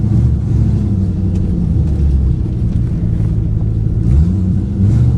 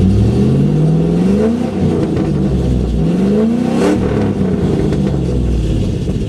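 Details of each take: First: 2008 Ford Mustang GT driving before coil replacement, dealer reported 5 bad ignition coils: deep rumbling V8 with an uneven, lumpy pulse that stumbles now and then under way; coil misfire. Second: 2008 Ford Mustang GT (S197 V8), dealer reported 5 bad coils causing misfire, after installing MSD Blaster coil-on-plug set, driving: clean pull through rising revs with no stumble or miss; sounds smoother.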